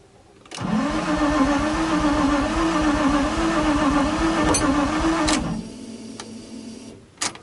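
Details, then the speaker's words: Flood-damaged Nissan 350Z that sat over a year, first start after rewiring, mass air meter not yet installed; engine catches with rising tone, runs rough about five seconds, then dies to quiet ticking: starts then stalls. "It ran for a second. Issues with this here or not."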